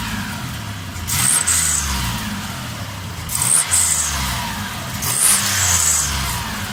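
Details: 2001 Mitsubishi Pajero NM converted to a 380 engine, idling then blipped three times: each rev brings a high chirpy whistle and rushing noise, present for several months since the conversion, unchanged.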